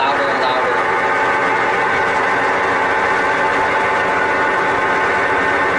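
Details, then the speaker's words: Sears Kenmore Elite (Oasis) top-load washer, before repair: a constant loud jet-engine-like whirring roar that gets louder, with a faint whine on top; worn drive bearings. "so it's getting louder and louder that it is sounds like a whirring of jet engine and also the agitator in"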